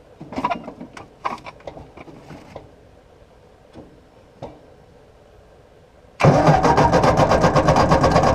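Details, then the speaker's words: 1953/1954 Ford Golden Jubilee NAA tractor, sat over 20 years, 6-volt starter on 12 volts: clunking, then hard, even, rapid cranking, never fires. Spark good and fuel reaches carburetor; owner suspects excess Marvel Mystery Oil on plugs. "Well, I don't want to get that starter and wiring too hot. It is only a 6-volt starter on this thing, and we're already pushing our luck running her on 12 volts."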